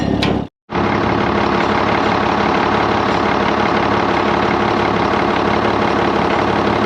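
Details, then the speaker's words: Auction-bought diesel dump haul truck started after service to check for air and transmission fluid leaks, exhaust rain cap flapper fitted: deep, even diesel idle with a steady beat, no knocks or misses; engine seems to run good. "for the most part i'm pretty confident at this part we got some good bones the engine seems to run good transmission seems to shift good"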